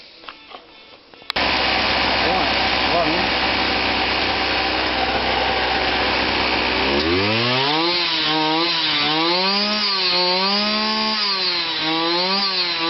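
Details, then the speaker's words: Kawasaki KBH43A two-stroke strimmer after repair: it had run only on choke and struggled to get petrol up. Buzzy note holds steady, then rises and falls smoothly with throttle, no misfire. Idle was set a bit high and turned down. Normal running. "well that runs TI over was up a bit High where so it's still turning so I've turned that down"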